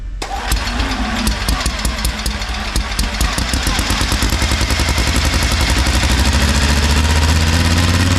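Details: Long-stored mini radial engine, first run after fuel poured in: coughs and fires in uneven pops, then catches into a rough, lumpy run that steadies a little, blowing grain debris out of the engine.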